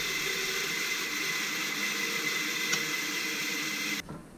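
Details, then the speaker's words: Electric motor from a hydraulic press, run with no load, then coasting with power off. A steady dry hiss and thin high whine until it stops indicate worn bearings needing replacement. "This is not good. None of that sound should be happening right now. With the power off, that's the bearings making that kind of noise."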